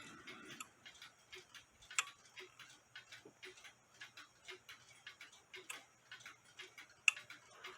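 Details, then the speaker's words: Nisshindo 100-day torsion/anniversary clock, plate 1469E, after a suspension spring replacement, heard through a beat amplifier: crisp, evenly spaced ticks with a steady gap and clicks about 180 degrees apart, so it is running nicely in beat. "click there and it's clicking about there which is about like I said about 180 degrees apart from each other and that's what you want"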